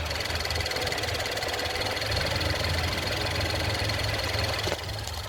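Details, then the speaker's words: 2014 Ford Fusion, 72,000 miles, direct-injection, cold startup during pre-purchase inspection: quick light ticks about four a second over even idle, normal high-pressure fuel pump pulses and injector ticking. "So you hear that ticking come on. Those are going to be the high-pressure fuel pump pulses for you direct injection."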